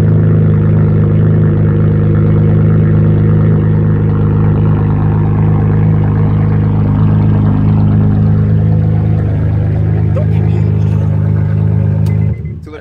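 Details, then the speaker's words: Honda Accord with its J30 V6 swapped for a 75,000-mile replacement motor after the original reached 238k miles: a smooth, steady V6 hum with an even low drone and no knocks or rattles until shutoff. "she's driving much smoother now she came with a seventy five thousand mile motor and she's running smooth"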